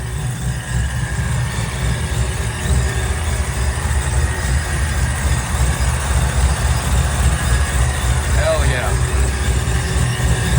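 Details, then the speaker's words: Race car fresh from setup (transmission fluid in, race tires on), ready for the track: deep, steady, slightly loping rumble with even pulse, no knocks or rattles; sounds good, normal idle. "Sounds good. Looks good. I'm ready to get after it."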